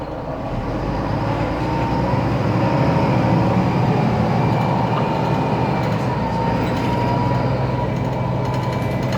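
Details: Mercedes-Benz Citaro O530 city bus, 2007, OM906LA Euro 3 turbo diesel, ZF Ecomat 6HP502C automatic, driving: thin whistling whine above the engine drone, suspected faulty noisy turbo, not confirmed.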